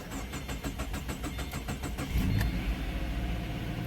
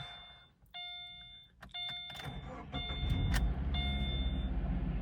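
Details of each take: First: 2013 Subaru Impreza with replacement engine, start after CVT fluid added: starter cranks in rapid even chatter about two seconds before catching and settling into steady idle; slightly hard start, runs smoother, camshaft position sensor check-engine code still present. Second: 2013 Subaru Impreza with replacement engine, transmission fluid low and fuel tank empty: door chimes, then quick start into smooth, even idle with no odd noises; check-engine light on with code P0366, camshaft position sensor.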